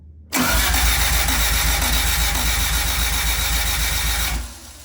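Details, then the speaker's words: Honda Civic EG hatch after an engine swap, distributor disconnected: about four seconds of rhythmic starter churning, roughly 220 beats a minute, never catching. Cranking to build oil pressure. "Well, got the dizzy disconnected for now. We're going to crank it over just to build some pressure on the oil pressure."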